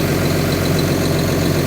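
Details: John Deere dozer diesel idling after a water leak repair, no leaks seen around the pump stack where antifreeze had sprayed; deep, steady rumble with an even beat, no knocks or misses; normal healthy idle.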